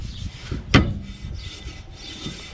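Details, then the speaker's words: 1993-97 Toyota Corolla rear drum brakes, new drum and shoes, turned by hand after three adjuster turns; light even scraping rub plus one knock, shoes not yet engaged; adjustment still too loose. "Okay, I'm starting to hear it. That's a good sign. I go three little turns. Still not engaged yet."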